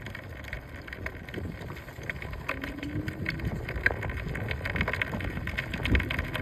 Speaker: That voice is coming from front wheel from the day one.